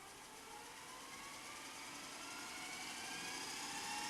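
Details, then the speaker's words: Panasonic NV-SV121 S-VHS VCR after power supply fault repair and loading mechanism fix, deck not yet refitted: normal fast forward, smooth whirring hiss rising steadily in pitch and volume as the tape spins up to full speed; transport sounds healthy. "Yeah, that sounds fine. Crikey. They do run fast, these modern machines, don't they?"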